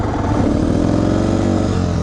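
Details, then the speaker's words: Yamaha TTR230 single-cylinder on a trail ride, after failing to start and being bump-started: runs ragged under throttle, stumbling and uneven instead of crisp; misfiring, owner suspects a bad battery. "oh that does not sound good at all you still back there well ttr is not doing so well at the moment"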